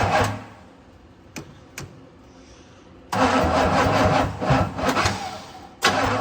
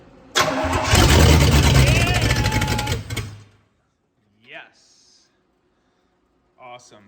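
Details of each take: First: 1965 Pontiac Catalina, unrun about 20 years, new plugs and wires, timing just adjusted, charger at 40 amps: labored, uneven slow cranking that never catches; owner suspects the battery is too weak. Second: 1965 Pontiac Catalina V8, first start in about 20 years, on charger plus booster pack after tightening positive battery terminal, extra fuel added, no exhaust fitted: cranks, catches and roars unmuffled about three seconds, then cuts out.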